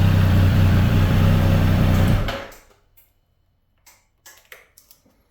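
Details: Triumph Street Triple 765 RS 2023 at cold idle: light, even tapping about four per second until shutdown, only audible when cold; owner suspects piston slap, cause unconfirmed.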